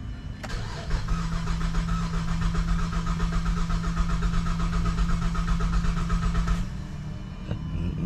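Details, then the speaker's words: 2007 GMC Acadia salvage rebuild, long-sitting, after new battery, alternator and belt, little fuel in tank: steady cranking then almost catches with a putt-putt but won't run; owner suspects low gas or fuel pump. "I sounded good almost close got a putt-putt there's more guys been sitting for a while in this mug"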